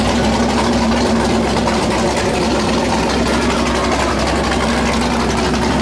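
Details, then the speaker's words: 408 LS stroker V8 on first start after build: loud, choppy idle with an uneven lope over a deep steady drone; normal big-cam idle, running fine, air-fuel around 13.3, possibly a touch lean. "How's it sound so far? It's gonna sound like the boat. Holy cow."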